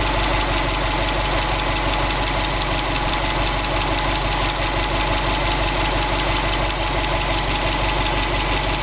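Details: 2002 Subaru WRX STi, 800 km after short block replacement, warm idle at 85°C oil temperature, 1.8 bar oil pressure, 21°C outside; steady, fairly regular knock over engine note; cause not pinned down.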